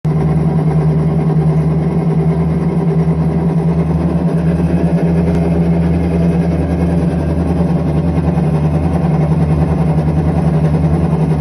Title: IPSO commercial washer - bad bearings